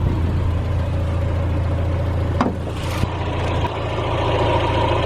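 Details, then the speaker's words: 1991 Mazda Miata 1.6L fully warmed idle after installing cheap aftermarket headers in place of cracked, leaking stock headers, stock intake; low, even idle rumble with steady beat, no ticking, puffing or exhaust leak, quiet and healthy. "okay we're warm idly nice yeah she sounds really quiet you can barely even hear anything but you can't even hear nothing for my day"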